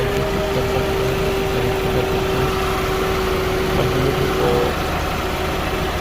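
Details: Toyota Camry (2004/2005) that had a no-crank no-start from a dead battery, after charging the battery: steady, even idle with a smooth hum and no knocks or misses; normal idle.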